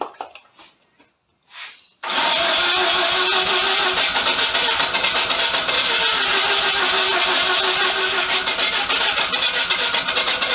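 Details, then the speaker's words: Mazda FC RX7 rotary after timing checked with a timing light and fresh petrol added: steady starter churn about four pulses a second with faint stumbles; almost catching but never runs. "it's very close it does want to"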